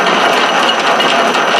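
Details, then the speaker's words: South Bend 13-inch single-tumbler lathe running at high speed after sliding gear shaft and detent spring repair: dense, even gear clatter with rough mid-to-high edge; one inner gear mesh suspected noisy, cannot be adjusted; not confirmed. "sounds like one of the gears in there I'm going to fix the mesh a little bit"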